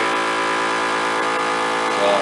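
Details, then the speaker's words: DIY jar vacuum sealer pulling down a jar of freeze-dried blueberries: a steady buzzing motor hum that shifts in tone as it sucks down hard. The pump is working normally and the jar ends up fully sealed. "you can hear the motor on the vacuum sealer will change sounds. Yeah, you can hear it now. It's sucking down hard."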